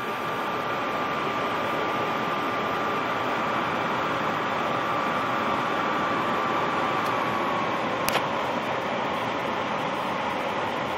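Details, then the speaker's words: Furnace blower running after the call for heat is removed, checking the blower off-delay sequence after replacing the integrated control card (original fault: air handler staying on past off-delay); steady, even air rush with faint hum, no rattle; normal. "now we're going to take away the call for heat and make sure that the blower sequence is still working"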